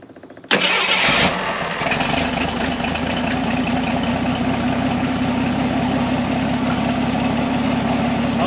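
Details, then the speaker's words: 1979 Jeep CJ7 sitting 30+ years, first start after priming with squirted gas: fires abruptly into a loud, steady idle with a faint rattling undertone; the water pump visibly wobbles and the pulley looks about to come off. "that water pump's about to blow out of there look at this water pump move he's dancing that thing's going to Huff the pulley"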